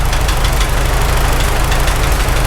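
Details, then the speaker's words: Farmall H tractor engine after rebuild, at idle: heavy low knock that vanished after restart then returned intermittently; owner suspects cylinder 3 and a loose rocker. "Shut it off, then restart, it went away. Now it's coming back a little bit. It's kind of coming and going."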